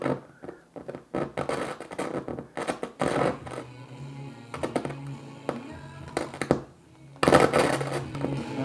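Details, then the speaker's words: Kenwood KR-44 receiver with A and B speakers: music drops out and returns with scratchy crackles and pops from a very dirty volume pot needing DeoxIT. "that's up there is one of the worst volume knobs I've ever heard okay so it's wanting to work we're not gonna get much further with this thing until we uh get some deoxid on that volume control because this is really bad folks"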